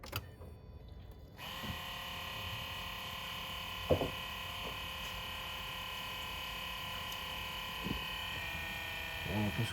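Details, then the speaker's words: Citroën/Peugeot 2.7 V6 HDi diesel after fuel filter replacement, ignition switched on to purge: short silence, then steady electric hum of the lift pump circulating fuel to prime the system, normal; engine then started instantly. "la pompe mais là on entend que ça circule je sais pas vous entendez"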